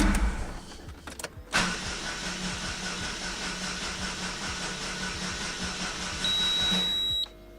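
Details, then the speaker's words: Daewoo after refitting the starter with a replacement solenoid: starter spins the engine at an even, rapid churn for about six seconds, never fires; owner suspects flooding; cranks but won't start. "No, it doesn't start anymore. What the fuck? Did I flood it? Or what?"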